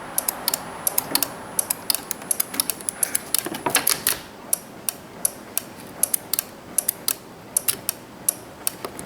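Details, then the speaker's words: 2006 Chevy 1500 truck, towed in with no start no crank: starter relay in the fuse box clicks sharply about three times a second with key held to start, but no starter motor cranking; ignition switch side confirmed good. "it definitely is clicking um so that answers quite a few questions actually so we'll come back over here and the starter relay is clicking"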